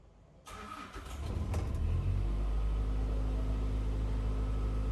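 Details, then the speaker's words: 2023 Tata bus AC engine, starting after its four fan motors were cleaned and repaired and the EP fault cleared: cranks, catches within a second, then runs smoothly and evenly with no misses or knocks; normal running, cooling well. "ਤੁਸੀਂ ਦੇਖ ਸਕਦੇ AC engine ਆਪਣਾ ਚੱਲ ਰਿਹਾ ਬਹੁਤ ਵਧੀਆ cooling ਹੋ ਰਹੀ ਆ"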